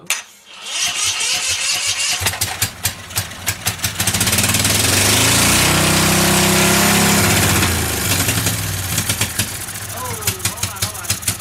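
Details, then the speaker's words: 479cc V-twin drift trike engine: cranks, catches and revs with a lumpy uneven beat, then falls back to cranking. One cylinder dead because a spark plug lead was off. "We dropped a spark plug off over here. Only one cylinder is running. That's why I started her off."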